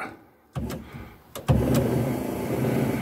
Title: TRIUMPH TR7 Wiper parking issue resolved!